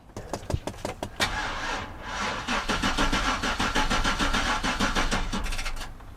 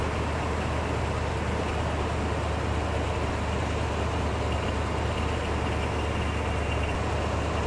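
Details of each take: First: V8 vehicle unstarted for months, battery dead with no crank or click, jump-started with a DeWalt DXAEPS14 power station clamped to chassis ground: several slow uneven cranks, then the engine catches roughly on the second try. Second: DeWalt DXAEPS14 jump-started V8 that had not been started in months, catching on the second try: a steady, even low rumble at smooth idle with no knocks or misses. Normal, healthy idle.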